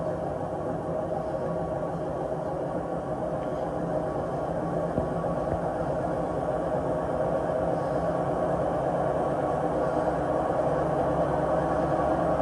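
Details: Six-year-old Samsung WW80J5555FWEU 1400 rpm washing machine on spin: continuous deep rumbling drone swelling as the drum speeds up; owner suspects worn drum bearings, not confirmed.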